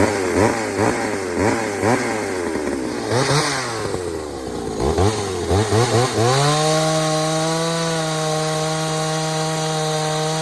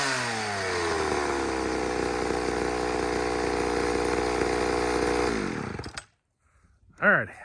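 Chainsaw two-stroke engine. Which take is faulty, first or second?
first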